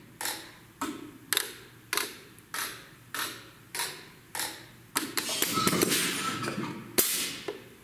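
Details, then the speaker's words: Bendix ABS/ATC/EBS trainer board at ignition key-on: crisp, evenly spaced clicks about every half second, then a brief buzz; normal ABS modulator self-check, let it finish before starting the engine. "is the ABS system doing its self check so that we've talked about this in class"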